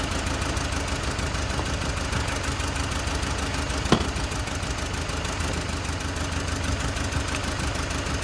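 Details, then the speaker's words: Four-cylinder car shaking and low on power, idling during a cylinder-by-cylinder pull test: uneven, lumpy idle with an irregular low thump and stumble. One dead cylinder with no spark; coil or wire suspected. "which of this cylinder doesn't work we have four cylinder one two three four one of this cylinder doesn't work so this we will found out"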